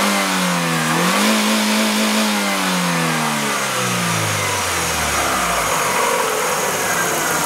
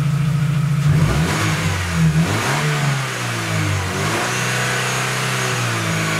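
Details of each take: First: Chevrolet Aveo, mic under the hood, before catalytic converter was replaced with spacer: steady petrol engine note rises smoothly with each throttle blip then settles to idle; normal revving. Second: Chevrolet Aveo, mic about 50 cm from muffler, catalytic converter replaced by a spacer pipe: deep, throaty idle swells with quick revs and drops back, louder, rawer exhaust note.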